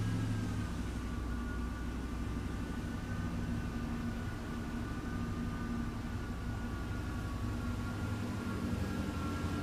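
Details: 1988 Chevy Silverado 5.7L 350 TBI V8 after a MAP sensor replacement, air cleaner off: steady, even idle held noticeably fast with no dips or surges. High idle from a vacuum leak, fixed by replacing the throttle body gasket.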